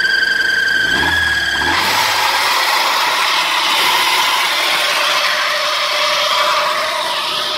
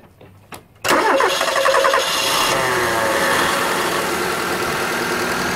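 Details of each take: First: Old Ford Laser engine revved: loud harsh squeal from a loose, slipping alternator (fan) belt that cuts off sharply; rubber residue from belt wear on the timing cover; fixed by adjusting belt tension. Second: Car engine at idle and revved, headlights on to load the alternator, after adjusting the fan (alternator) belt tension: it catches and runs steadily with no squeal or chirp, and the belt no longer slips. Normal running.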